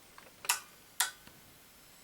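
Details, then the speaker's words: LJ44-00143A plasma TV board, powering on after the blown 4.5 A fuse was replaced with a 5 A one (earlier-replaced transistors checked, not shorted): two crisp relay clicks about half a second apart, then a third click; TV starts, normal power-on. "2 clicks on the relay and the TV starts. You can hear the sustain boards ramp up."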